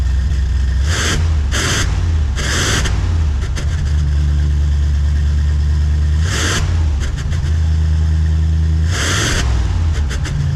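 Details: 1988 Cadillac Brougham just fitted with new Walker bolt-in one-piece exhaust and muffler replacing rotted original; deep even burble at idle with a few clean revs that rise and settle, smooth with no rattles or leaks.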